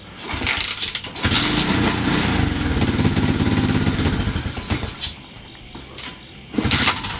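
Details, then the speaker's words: 2016 TAO pit bike found seized, kick-started on old fuel after carburetor tapping: revs raggedly about three seconds, fades, coughs again; sputtering start and stall, owners suspect out of gas, water in the cylinder, or flooding. "It's getting easier and easier to kick. Must still have water in the cylinder. Or we flooded the hell out of it."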